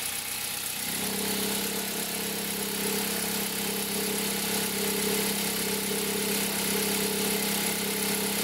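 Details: 2003 Toyota Corolla idling cold: a constant droning hum carries through the whole engine, traced by stethoscope to the accessory belt tensioner. It appears in reverse with the brake held and a light throttle, and occurs only cold. Worn tensioner bearing.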